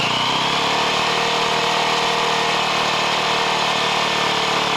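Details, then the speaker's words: Leonart Daytona 125 with the rear wheel raised, running in second gear: a steady, busy engine and drivetrain roar as the chain slaps the top of its guard. The chain looks suspiciously long, likely too slack. "Вторая, о, дубасит по щитку. Цепь дубасит по щитку цепи сверху."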